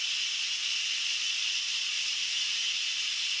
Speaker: so when you hear it beeping you want to immediately release the pressure and that's called quick pressure so quick pressure release or instant pressure release whatever you want to call it